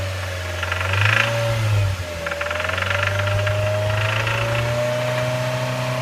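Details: 2007 Mazda MX-5 Miata: low engine drone with a dry metallic rattle that comes and goes and gets busier as revs rise; owner suspects rod knock, cause unconfirmed.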